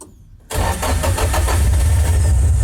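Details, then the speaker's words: Nissan SR20DE (distributor version), started without throttle: cranks and catches at once, then lumpy, uneven idle with irregular pulses, probably misfiring; suspected airflow or ECU, not confirmed. "Pincang kan? Memang begini engine-nya, dia pincang. Seperti biasa, antara airflow-nya sudah bermasalah atau ECU-nya bermasalah, atau kabel busi salah nyolok gitu ya."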